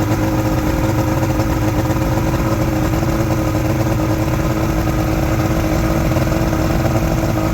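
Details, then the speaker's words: Outboard motor from a junkyard Ebb Tide bass boat, run on water supply, holding a loud, steady, even drone at a somewhat high idle with no knocks or misses; engine confirmed running. "I gotta shut the water off now we know it runs"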